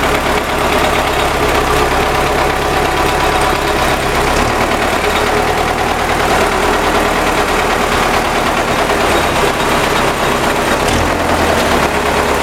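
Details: MTZ tractor diesel engine at steady idle: loud with a hard clatter running through it; engine knock, source not pinned down.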